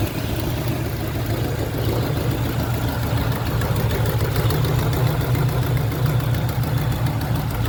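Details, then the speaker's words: 1972 Chevrolet Nova SS clone with a built 355 crate V8, about 3,000–4,000 miles old, under the hood at idle: lumpy idle with fast, uneven ticking and puffing on top; exhaust header gasket leak, new gaskets included. "Next, when we're under the hood, listen for that exhaust header leak I was telling you about. Like I said, the car does include new gaskets if you want to replace those. It's pretty noticeable, so I would."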